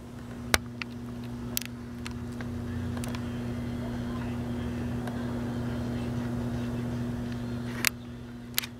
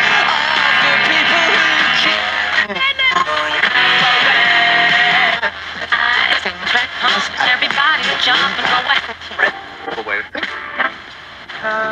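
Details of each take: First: GE P977 AM/FM transistor radio, late 1960s (parts dated 1968), volume full up on FM and AM: very low steady hum with just a whisper of program sound and a few clicks; weak audio, suspected bad capacitors. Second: Vintage GE P977 AM/FM transistor radio, brought in because it played quietly, after capacitors in the AF amplifier stage were replaced: loud, clear music and voices through the speaker without crackle or hum; receiving and playing properly, though intermittent ringing and speaker rattle are noted.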